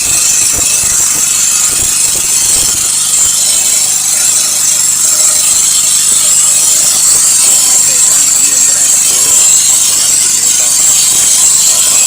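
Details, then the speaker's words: Small four-stroke grass trimmer, formerly hard-starting and not revving, after a new spark plug, new starter rope and valves set with feeler gauge (intake 0.08, exhaust 0.10): even high-pitched buzz at steady speed, no misses, surges or rattles; running normally. "อ่ะมาลองสตาร์ทกันเลยครับหลังจากที่เราเปลี่ยนหัวเทียนแล้วก็ปรับตั้งวาล์วแล้วก็ผมได้เปลี่ยนสายสตาร์ทเรียบร้อยแล้วเลเครื่องรายได้"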